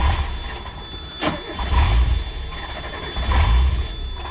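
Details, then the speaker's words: Mazda Miata bought for $100, non-runner being revived, engine finally starting: low, lumpy idle surges and sags, won't stay running. Failing mass airflow sensor suspected. "It's weird, it doesn't want to stay going here. I'm gonna let it sit for a second."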